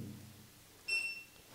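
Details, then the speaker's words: Innovv Third Eye radar blind spot detection system on a BMW R1250GS/R1200GS: after the startup self-test, pressing the button gives a single short high beep from the under-seat module, confirming the audio warning is off. "そして、その警告音をオフにしたい場合は、これを押す必要があります。私が静かで、モジュールからのビープ音を聞いていただければ、"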